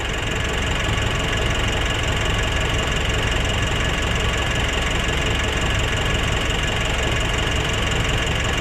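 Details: Nissan NV350 diesel idle with even clatter and no hunting, settled and healthy after replacing the suction valve, cleaning the EGR and intake manifold, and turbo position learning; earlier rough idle and low power fixed.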